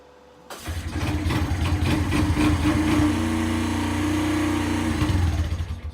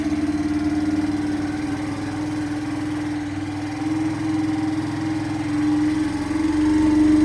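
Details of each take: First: Free Kawasaki Bayou quad that had stopped running, started by recoil pull starter: catches straight away, then steady slightly uneven single-cylinder idle before dying away; it runs but smokes a bit. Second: Kawasaki Bayou quad revived after not running: fresh gas, choke on, started by cranking the starter directly since the start button is not working. Steady single-cylinder putter at fast idle, even beat with slight surges; normal idle.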